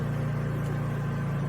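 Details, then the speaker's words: Honda EU3000is generator with aftermarket Huayi carburetor in eco mode, loaded with hot, high-draw work lights: steady, even low hum with no misses or surging; carries the load and runs flawlessly. "Yeah, she runs flawlessly, guys. So I'm really happy with that carburetor."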